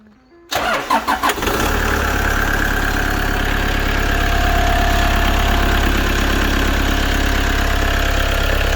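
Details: Rebuilt Toyota Hiace with 720,000 km, started after exhaust work: a few quick cranking pulses, it fires within a second, then settles to a steady, even idle. It starts normally and the engine light has gone out.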